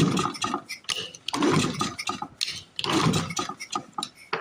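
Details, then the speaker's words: Flooded 1930s Briggs and Stratton Model Y single-cylinder engine, about 90 years old, rough shape: uneven cranking bursts that fire briefly then die, never catching; flooded during starting attempts, carburetor may need work. "as you can see it sucks it certainly does suck I think they're flooded I think I flooded it oh yep we're flooded"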